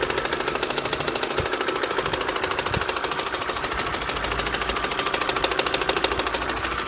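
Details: 2006 Opel Astra H Z16XEP, knock appeared at 170,000 km; sharp, regular ticking knock about three times a second over quiet idle. Shop suspects intake manifold needing cleaning/factory defect and TWINPORT flaps, plus valve cover breather valve; unconfirmed.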